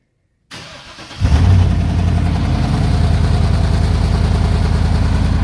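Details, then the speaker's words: 2012 Chevrolet Silverado V8, before exhaust work: starts and settles into a lumpy idle with a puffing, rattly exhaust note; exhaust rattle and leak from old muffler, before it was cut off for a Flowmaster 44 install. "so yeah that's before you can hear the exhaust rattle and leak"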